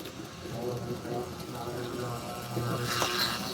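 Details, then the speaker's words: 1955-57 Union Pacific American Flyer GP7 toy locomotive running in reverse: rough, uneven buzzing rattle about four times a second from worn axle bushings. Forward it glides smoothly and quietly, so it likely spent most of its life in reverse; rebushing suggested. "That's the wear I'm talking about. So, uh, if I were to guess, I would say that this engine has spent most of its life going in reverse because forward it glides."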